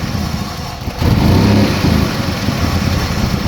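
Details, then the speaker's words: 2005 Chrysler Sebring Convertible 2.7L with check engine light: uneven, stumbling, barely running idle. Bank 1 toggles between open and closed loop while bank 2 stays open loop, and upstream O2 sensors seem lazy. "you can see the engine is now where you can hear it anyways it's barely running in went back into open loop and back in a closed loop some reason only on bank 1 bank 2 is staying open"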